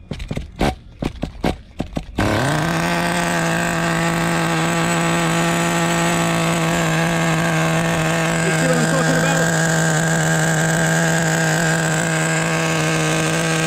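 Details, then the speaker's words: Team Losi XXX-NT nitro RC engine restarted after tuning. The idle set screw is set a little low, so it keeps shutting off. Sharp starting pops settle into a steady buzz, rich and slightly uneven at low idle. "right now I did some tuning I have uh the idle set screw a little bit low so that's why it's shutting off but we're going to start it up again with all the problems this has you know"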